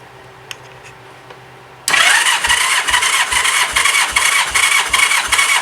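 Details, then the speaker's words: 1985 Honda Gold Wing GL1200 compression test: starter whirs with even regular pulses about 2.5 per second; 150 psi read on this cylinder, normal against the 140–150 spec. "I got 150 on the nose for this one."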